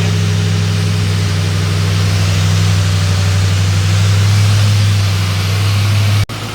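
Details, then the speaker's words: Ford 4.6L 2V after timing chain replacement with Cloyes set, warm after about 10 minutes running: steady, even low idle rumble with no ticking or rattling; engine now runs smooth and quiet. "But at the end of the day, we've got this thing running. It's quiet, and that was the main goal of this video."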